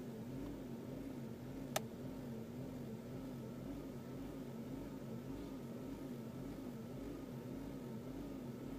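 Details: 2002 Mazda Protege5 2.0L: quiet idle with slow rise and fall about twice a second and uneven beat, rough after new plugs and wires improved it; had been jerking while driving, code reader points to mass airflow, unconfirmed.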